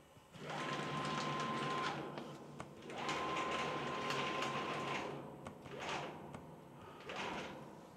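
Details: DIY CNC plasma cutter built from JD's Garage plans, gantry driven along X and Y axes by stepper motors: bursts of steady high-pitched motor whine starting and stopping, smooth with no grinding; normal stepper motion.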